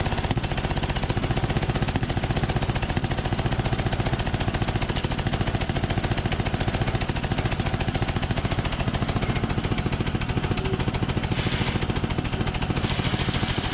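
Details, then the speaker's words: Craftsman DYT4000 mower after drive belt, fuel tank and carb work plus valve adjustment: uneven lumpy beat under steady drone, running rough from carb issues; slight noise from drive-belt tensioner pulleys; hydrostatic transaxle works. "so sweet um yeah obviously some some carb issues and i can hear a little bit of noise from those uh tensioner pulleys on the drive belt but uh clearly the transaxle is good"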